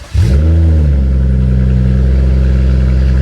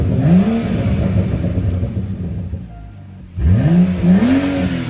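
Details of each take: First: BMW F30 335i rebuild, first cold start with exhaust disconnected (open downpipe): starter catches, revs flare, then loud deep steady idle without misses or knocks; no warning lights or leaks, though radiator fan did not come on. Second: BMW F30 335i with N55 engine, exhaust removed, after fixing the cooling fan relay: two quick revs, pitch climbing sharply then falling, loud, raw and unmuffled but a pleasant tone; smoke later seen from the engine bay.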